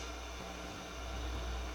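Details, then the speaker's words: Harman Kardon 75+ receiver on phono with no input: low steady mains-type hum over soft hiss, cause not yet found; the unit also has heavy DC on the left channel. "base is clean got some hum there so that's with no input"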